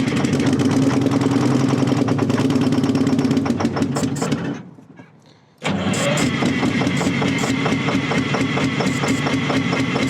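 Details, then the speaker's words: Terex 80-20 diesel, started after sitting 30 years, cranks and catches with a lumpy, uneven chug, dies briefly, then picks back up rough; it seemed to start to go fast while blasting oil out; rough running, cause unclear. "Boy, but it almost seemed like it started to go fast. And this is the thing. Look at it. Look at it just blasting oil out of here."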